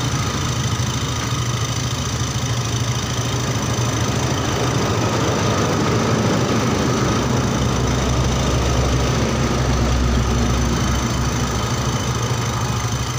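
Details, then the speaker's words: Yamaha Xeon GT 125 injection scooter that died suddenly while riding, flashing 39 MIL blinks; piston rings fine, fault electrical (miswired yellow cable); after fix, steady even idle with consistent beat, no misses; normal idle. "Halo teman-teman ini motornya udah hidup ya jadi masalahnya itu masalah keelektrikan"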